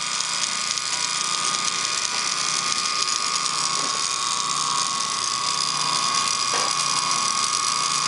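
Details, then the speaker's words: Antique Wagner 2hp ring-oiled motor, running after token cleanup: steady hum with a rough, irregular clicking rattle through it; the bearing is shot and needs replacing. "But this bearing is shot."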